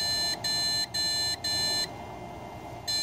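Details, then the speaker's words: ASUS Sabertooth Z77 PC with 2x8GB Corsair Vengeance RAM and graphics card: even high beeps, a six-beep code repeating a few times or endlessly, sometimes then reaching POST, with no boot-device light. The cause turned out to be motherboard failure. "this is usually what happens is it just good stuff either it'll do it six times a couple of times and it will stop or it will do it six times infinitely"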